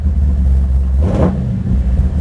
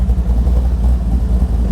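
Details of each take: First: Big block 540 V8 with Edelbrock 850 CFM VRS 4150 carburetor, warm at operating temperature after idle-screw tuning; deep burble with several quick blips settling back to a lumpy idle, sounding rich ("so fat"): carb tune close but not quite right. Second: Big-block 540 V8 with new Edelbrock 850 CFM VRS 4150 carburetor, fully warmed up after idle mixture screw tuning: deep, steady burble with an even beat, no misses or knocks; idling at correct speed.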